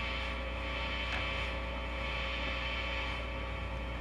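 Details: Ampeg GT-10 tube guitar amp after capacitor repair and cleaning all controls: steady low mains hum with soft constant hiss, no crackles or pops; normal idle amp noise, owner still suspects a noisy transistor.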